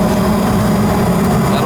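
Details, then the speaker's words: Newer 90+ high-efficiency condensing natural gas furnace, after vacuuming out the trap area: burner lights and holds a steady, even low hum with no rumble or sputter; normal ignition, previously not firing right. "That all fired up nice. Natural gas. You could hear it. You could hear it down inside the water, and you couldn't hear that before."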